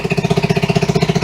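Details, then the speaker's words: 1974 Honda XR75 restored over two years, first start on high-test non-ethanol gas: crisp, steady single-cylinder thumps about thirteen a second, running cleanly. The carb could use some adjustment, the clutch is way out of adjustment, and the kill switch works. "Give me that. Cars could probably use a little bit of adjustment. Kill switch works."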